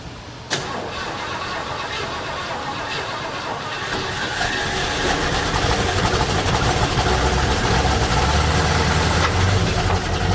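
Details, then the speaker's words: 1972 Mercury Montego MX, long-stored, started after the carburetor sprayed fuel: engine catches and settles into a lumpy, wavering rough idle; owner suspects the accelerator pump isn't working and plans to pull the carburetor. "Yeah, we're gonna have to pull that carb off and pull that carburetor off of there, see what's going on with it. I don't think the accelerator pump's working."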